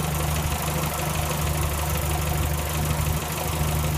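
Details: 1965 Morris Minor engine after owner rebuild (stripped, valves ground in, all gaskets, new gearbox, clutch, hoses, mounts): low, even idle with a steady beat and no misses or knocks; running smoothly.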